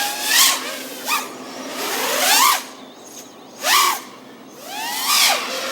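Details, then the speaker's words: Aokfly RV2306 2400kV brushless motors on a quad in flight. High whine sweeping up and down in pitch with rough wavering bursts. Motor oscillation caused by a PID tune that is far from optimal. "top speed obviously not great 2400 kV and the terrible oscillation so pretty respectable on these props obviously the tune is far from optimal"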